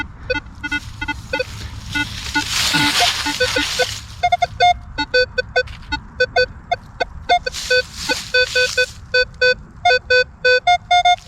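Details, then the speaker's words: Minelab Equinox 800 metal detector on an early 1800s farm: crisp, repeated high beeps as coil sweeps spot, clean target signal, a second Indian head penny in the same hole. "Sounds like there's something right here. Something else. Another Indian."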